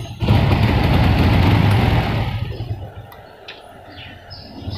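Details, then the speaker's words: Honda Revo fuel-injected motorcycle: engine roars on throttle but stutters and rpm won't climb, then sags back; misfire and bogging traced to faulty spark plug cap resistance. "ketika motornya hidup itu di gas ataupun rpm nya itu tidak mau naik teman-teman malah brebet ya teman-teman"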